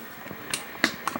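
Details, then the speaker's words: Philco Town & Country TV, spare picture tube freshly tried: sharp irregular snaps and crackles as high voltage arcs inside the dirty anode button hole, needs cleaning; high-voltage arcing at the anode connection. "I can hear the high-voltage bleeding or arcing inside the inside the little button hole"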